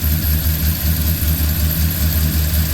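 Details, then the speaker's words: Freshly rebuilt truck V8 with long-tube headers, cold air intake, cam, DOD and cat delete, untuned, oil pressure confirmed after the sensor wire was plugged in: an even, deep thumping idle with slight cam lope and no ticks or knocks. "oh baby look at that we've got oil pressure definitely got to make sure all the wires are plugged in sounds good definitely got to have it tuned but it's running got oil pressure"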